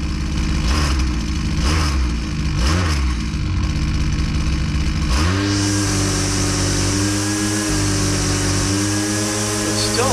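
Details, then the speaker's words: Husqvarna 122C two-stroke string trimmer at full throttle under full load, line hitting the cutter: revs hold a loaded high note with a slight uneven burble, "four stroking" as the high-speed screw is turned richer, so the mixture is a touch rich. "when I rich it up the speed goes down and he it four stroking"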